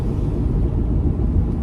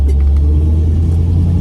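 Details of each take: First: Pontiac Firebird restoration on its first test drive, coasting: deep, steady growl from the rear, unchanged under hard acceleration so ring and pinion seems unlikely, louder when swerving right; diagnosed as a failing driver-side rear axle bearing. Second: Pontiac Firebird restoration, rear axle after pressed-on bearing swap, coasting on road test: smooth low road rumble, no grumble or growl as before; quiet rear axle, big improvement.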